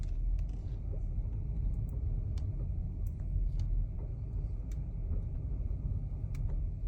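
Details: 2022 BMW X5: sharp single clicks about every second over low road rumble, appearing after a long drive; clicking from the steering, cause not yet known.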